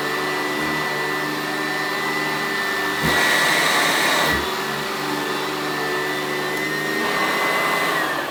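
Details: Sanitaire traditional-design vacuum, 180 CFM at the cleaner head, picking up material on carpet: strong, steady motor whine with rushing airflow that changes briefly as the head moves; gets most of it up; healthy, powerful vacuum.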